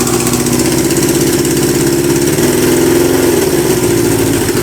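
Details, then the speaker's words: Kawasaki Z650B four-cylinder restoration, started with a bit of choke after fuel tap refitted: smooth even hum, slight rev blip, steady firing, no misses; running well on all four. "yeah it's running well now indicates work everything works"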